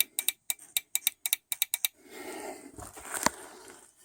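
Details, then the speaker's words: Fuel injector from a 2004 Saturn Ion 2.2, removed and pulsed from a battery via alligator clips during cleaning: crisp rapid clicks about six a second then a hiss of spray, opening and closing properly. "and you'll hear the injector click would you touch it"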